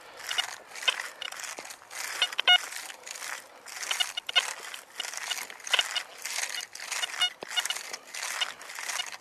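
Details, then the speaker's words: XP ORX metal detector, high-frequency coil at 14 kHz on the Coin Deep program: choppy, spiky tone chatter over ground noise; program too aggressive for this terrain, Coin Fast suggested instead. "As you can hear the machine is a little bit more choppy little bit more spikey which is telling me COIN DEEP is probably too powerful for this terrain"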